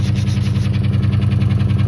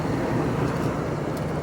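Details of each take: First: 2001 Toyota Tundra V6 (24-valve) idling rough with an uneven, lumpy throb from a misfire; engine visibly shaking, check engine light flashes on acceleration; owner suspects a coil pack, cylinder not yet pinpointed. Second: 2001 Toyota Tundra, 3.4 V6, two-wheel drive, on a light cruise after work on an earlier misfire: smooth, even engine drone with steady road noise and no stumbling or skipped beats, normal running with no misfire.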